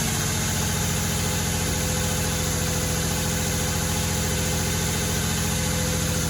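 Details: 2007 Nissan Maxima 3.5 started right after spark plug replacement: steady, even idle with a low rumble, no misfire stumble or ticking. Normal idle.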